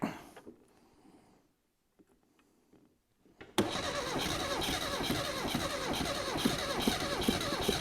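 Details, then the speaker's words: 1975 Mini Clubman estate, parked 7 years, with an engine stored 12 years: quiet cranking, then it catches and runs roughly, spluttering and popping unevenly after less choke; owner suspects plug leads in wrong firing order. "I have a feeling that we may possibly have the firing order in the wrong way just because we got stuff shooting out of places we shouldn't have"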